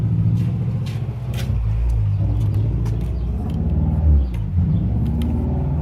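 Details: Honda Prelude H22 with a vacuum leak; deep idle rising and sagging every second or two without settling, constantly hunting after start-up; owner concluded intake manifold gasket leak.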